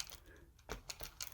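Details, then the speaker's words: TMNT ShellRaiser RC truck driving: quiet irregular sharp clicks over a faint motor hum from a faulty gearbox; a replacement gearbox is ordered. "clicking noise yeah we can hear it when you're driving so there's dodgy to somewhere on the gearbox"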